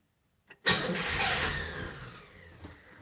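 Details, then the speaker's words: Carbureted engine's first start in 30 years: it cranks, catches with a rush, then sags and stumbles as if running lean and won't hold idle; the diaphragm choke stays open instead of pulling shut. "choke isn't closed, unfortunately. The choke needs to be closed. I don't know why it's not sucking it shut."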